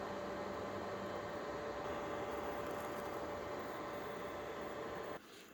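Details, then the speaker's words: Creality LD-002R resin 3D printer with Anycubic 405 nm clear resin, after firmware update: steady whirring with a faint motor tone for about five seconds as the next layer is prepared, then quiet during UV curing; normal printing cycle. "so when the device is silent then the light turns on now it's curing now it's preparing the next layer now it's curing it again"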